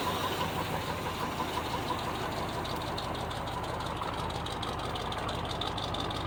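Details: 1976 GMC Sprint V8, first start after sitting years in a barn, with a gas leak present: fairly even idle, steady low rumble with light pulse, water from tailpipe, sounds like hitting on all cylinders.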